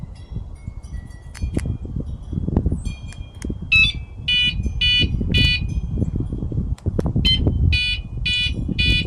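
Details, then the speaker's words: Catalytic converter anti-theft alarm after 8 months on its pre-installed alkaline batteries: two sets of three high chirping beeps over rumbling background, its weak-battery warning. "it'll make that three beeps when the battery's weak"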